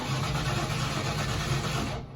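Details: 1994 Ford F150 5.0, intermittent crank-no-start caught failing: starter spins the engine at a steady even cranking rhythm but it never fires; no spark.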